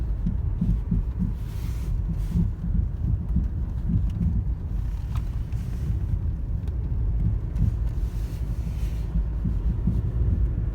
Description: My 2010 Toyota Corolla le is giving off an loud thumping popping noise it’s way louder in person